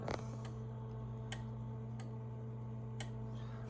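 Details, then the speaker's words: Central Electronics 200V transmitter with a 340 V supply (about 302 V) installed, keyed with the microphone: several sharp clicks over a low hum as the transmit relay switches normally and power comes up. Keying from the manual switch does not work. "I can key it with the mic, that you can hear it. The relay clicking in there. And there's the power coming up."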